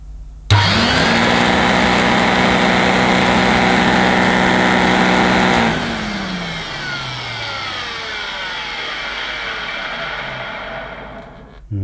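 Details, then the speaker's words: Electrolux 550 upright vacuum switched on with belt off, run and wound down: coarse, uneven, vibratory hum; the roughness comes from the motor, not the brush roll bearings. "feels a bit rough to me and then the rough sound is coming from the motor rather than the bearings"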